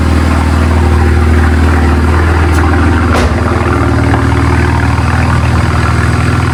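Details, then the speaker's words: BMW N54 six-cylinder first start after walnut blasting intake valves and new gapped spark plugs, not run in a while, warming up; smooth, steady even idle with no misfire, ticking or hunting: normal idle. "But she's sounding good. She hasn't ran in a while. So I'm going to let it get up to temperature."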